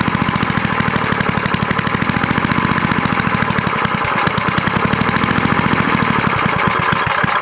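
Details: Vintage small single-cylinder snowblower engine after carburetor bowl cleaned with carb cleaner: fast, even firing chatter holds steady for several seconds without stumbling; running.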